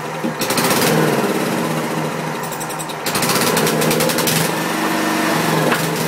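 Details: Wisconsin Robin EY27W single-cylinder engine on a welder, with new gas and the oil level checked. It runs rough, surging and sagging instead of holding steady, and keeps hunting like this until it stalls.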